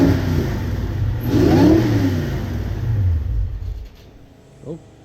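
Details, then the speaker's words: Supercharged Nissan VK56 V8 in a Nissan Gloria with a Link ECU and 1000cc injectors climbs and holds revs, then sags and fades unevenly as the throttle drops out while system voltage runs low. "The throttle's dropped right down and the voltage is getting low, so probably should call that a day."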